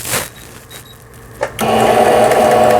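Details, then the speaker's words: Old 220V-only Singer 7422 sewing machine after repair of its faulty upper-thread tension dial unit, sewing fabric with the pedal; a couple of handling clicks, then a smooth, quiet, even whir with no knocking. Normal sewing. "아주 조용하게 바느질이 잘 되는 걸 보실 수가 있습니다."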